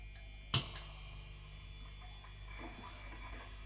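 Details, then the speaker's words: Canora 60s hollowbody guitar with grounding faults in a previous rewire, including a toggle switch not carrying ground: a steady low buzz in a quiet room with one sharp click, heard with the fan turned off. A ground hum. "So can you hear that buzz? I'll turn the fan off too."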